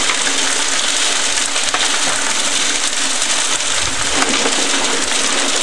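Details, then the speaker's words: Homemade belt-driven mini trommel rock classifier, fed with rock and water; constant rushing, rattling tumble of rock in the turning drum, no pauses. Belt can slip or stall if overloaded; this sound means it's turning: normal. "You get used to the sound of it turning the rock, and you don't hear that sound, you'll know the trommel will stop."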